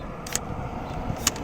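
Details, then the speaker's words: 2012 Honda Pilot EX rear hatch glass lock actuator (part 74811-SZA-A01) triggered by button or remote: two quick, sharp clicks about a second apart. The actuator works properly. "you guys hear that sound that it makes? That click click. So, this one is in functioning order."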